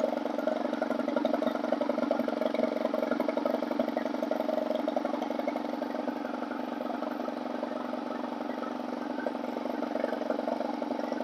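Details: Stihl 4180-series four-cycle 4-Mix trimmer engine after confirming good hot spark from the ignition coil and fitting a new CMR6H plug: a steady, even high idle buzz with no misses or surging. Running cleanly.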